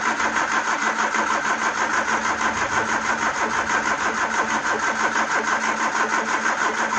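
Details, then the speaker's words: Peugeot 309 petrol after fuel filter change, carb cleaner tried: even starter churn about three turns a second with no firing; camshaft-driven mechanical fuel pump needs faster cranking to deliver fuel, no fuel reaching carb. "Basically, you've got this pump that's driven off a load, normally off the camshaft. So you need the engine turning at a fairly high speed for it to actually start pumping."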